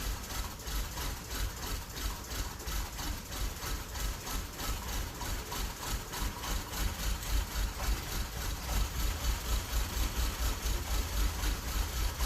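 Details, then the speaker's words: 2006 Honda Accord after half a tank of diesel went into the petrol tank: fuel line drained and fuel rail reconnected, the starter chugs steadily without catching; leftover diesel in the fuel rail was expected to delay firing. "It'll probably take quite a bit of cranking before it gets enough fuel to the injectors to fire, because there's still some diesel up in the fuel rail, but we'll see what happens."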